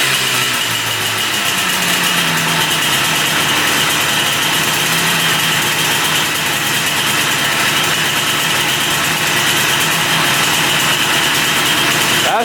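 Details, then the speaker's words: 1974 Yamaha RD200 two-stroke motorcycle, bought as a non-runner, running after repair work: crisp, raspy buzz climbing and holding steady revs, firing clean with no misses or rattles; sounds pretty darn good, normal running. "sounds pretty darn good."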